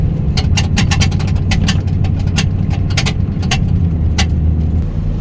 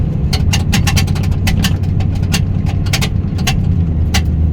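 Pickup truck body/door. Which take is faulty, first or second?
second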